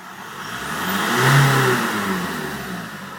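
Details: VW Golf with AJM diesel engine: revs up and falls back with a lumpy, uneven note and an irregular beat at the low end; engine misfire.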